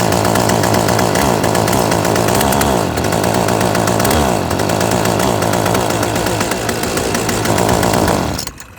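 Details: Yardworks 25cc trimmer after carburetor replacement and adjustment, gas cap tightened: fires quickly and holds a crisp, even high-revving buzz for several seconds before shutting off; carburetor running cleanly.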